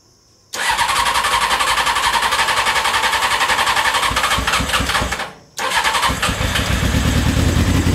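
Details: CBR600 carbureted engine in reverse trike after reconnecting fuel line and closing float bowl drains: catches right away, settles to a steady run, brief throttle dip then picks up cleanly; normal start and running.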